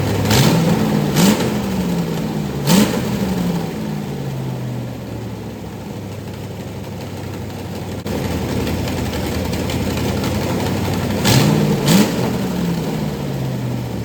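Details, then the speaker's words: Rebuilt 1990 Lincoln Town Car 5.0 V8 (GT40 heads, 650 Holley, BBK long tubes) first fire-up, freeze plug also leaking: rough running with blips to higher revs and a raspy chuff over the idle; exhaust leaks all over. "so sounds like we got like exhaust leaks all over the place it's a mess right this minute but uh it did run they fired up"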